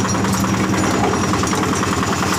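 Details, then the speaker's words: Yanmar single-cylinder diesel on a cement mixer after service, started by crank handle: loud, even, smooth diesel clatter with a steady beat and no misses or knocks; running healthy, mixer drum turning. "Ya sepertinya MC ciri khas diesel Yanmar ya suaranya halus Jepang Yanmar ini sudah clear dan molornya sudah berputar"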